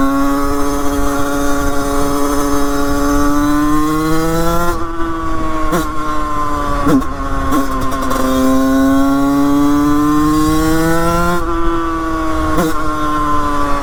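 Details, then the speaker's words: Beta two-stroke with 34 Mikuni cross carburettor, 100cc, idle jet 25, during carb tuning: idle buzz wanders up and down in pitch with sputters, won't settle; unstable, badly tuned idle, cause unknown. "elle est vraiment très très mal réglée il y a énormément de choses à revoir"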